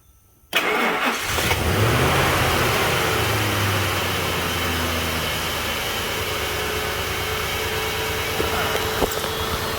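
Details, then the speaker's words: Engine topped up with 2 quarts of oil to nearly full, started to check the gauge: cranks and catches at once, brief flare, then smooth steady idle with no tapping or ticking; oil pressure reads around 80, healthy. "See, I mean, it doesn't make any tapping sounds or anything, so I'm not concerned."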